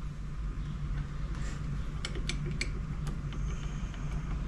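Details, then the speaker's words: 1994 Polaris SLT 750 jetski engine (Fuji 750) torn down: sharp metallic clacks as the bare crank is wiggled by hand, loose play from a bad crank bearing, source of metal debris; new crank to be ordered. "look at this crank bearing is bad that's where all your metal came from you can hear it shaking it so I'm gonna order a crank"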